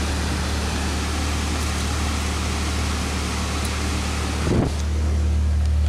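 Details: 2006 Saab 9-3 2.0T turbo four, 189,000 miles, just after valve cover gasket replacement: steady, even low hum at idle with no ticks, misses or surging. Healthy normal idle; no new leaks seen.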